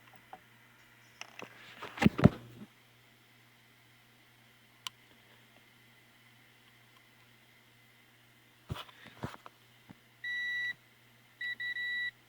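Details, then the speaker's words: 1890s GE antique fan motor (No. 337738, 110 V, 60 cycles) speed control wiring check: two short high-pitched continuity-meter beeps; wire into the speed coil has a connection but the lead coming out does not. "so we do have a connection there but none there so the wire is good going into the speed coil but that's not good coming out"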